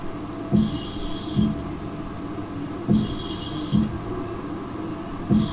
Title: Sounds like Darth Vader is living in my toilet (needs sound)